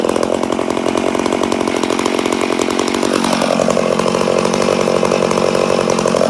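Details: Rebuilt McCulloch Super Pro 80 chainsaw, first start after rebuild: screams at high revs, pitch sags then holds; runs strong but sounds lean; owner suspects an air leak somewhere.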